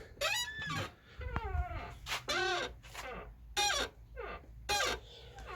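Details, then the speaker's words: Ford Fusion: repeated high, wavering squeaks and creaks as the tailgate swings, like an old door, from dry tailgate hinges; owner plans to lubricate the hinges. "будемо виправляти це зовсім не діло цей скрип мене просто добиває"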